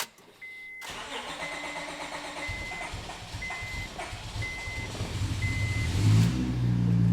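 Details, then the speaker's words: 2008 Honda Accord V6 on an E85 tune, cold start: the starter churns steadily at about four beats a second for several seconds with a chime beeping before the engine finally catches; a long crank on E85 cold start, cause suspected, not confirmed. "Did you hear how long it took to warm or turn on? That shit took, I feel bad for the starter, but that took at least 3 seconds of continual pressure on the starter."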